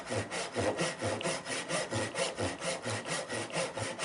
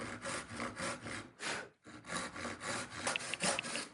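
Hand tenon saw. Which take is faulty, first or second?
first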